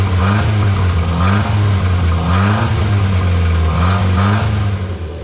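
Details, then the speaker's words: Barn-find Austin Healey Sprite, previously seized engine freed and head refitted, first start on twin carbs with choke and jump pack: catches and runs, revs rising and falling with hand throttle, steady even beat; runs cleanly. "okay it looks like it runs"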